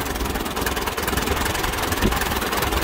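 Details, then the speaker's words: Allis Chalmers WD tractor with ignition timing set back to its wrong original setting: idle is uneven and chugging and gets worse as throttle rises, sounding like a dirty carburetor or bad ignition; correcting the timing cleared it up. "that idol is not bad but it kind of gets a chugging effect to it"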